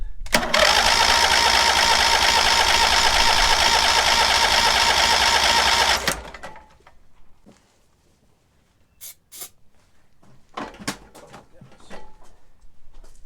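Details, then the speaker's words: Cub Cadet 1641 lawn tractor: a fast, busy buzzy run for about six seconds, then an abrupt cutout as it starves and leans out. Owner suspects a fuel line blockage or a weak fuel pump. "The thing is loud when that thing starts leaning out."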